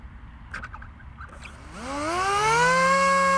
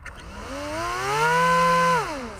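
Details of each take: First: Dal Fold F7 seven-inch folding prop on AR wing, 3S battery, after rotating prop on shaft to balance: motor spins up to a clean steady whine and winds down with no buzz or shake; smooth, only dynamic balancing still needed. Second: Dal Fold F7 seven-inch folding prop on AR wing, 3S battery: electric motor whine rises, holds, drops off with a slight buzz from vibration; prop imbalance remains after rotating it on the shaft, tape on a blade considered.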